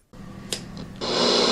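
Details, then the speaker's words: FM radio inside a building swamped by static. A steady hiss thickens sharply after a second; the static comes from RF interference emitted by the overhead lights throughout the building. "You can probably hear all the static there in the background. That's actually due to these lights up above here, as well as the ones throughout the building. So these are emitting lots of RF."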